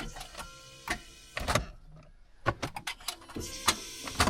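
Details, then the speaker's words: Car that had sat a long time, first start after battery reconnection: repeated short clicks and brief whirring bursts, engine not cranking; owner suspects a sticky starter or bad connection, then it starts. "seems like a sticky starter to me. A bad connection. Yeah, it sounds like a bad connection to me, to be honest."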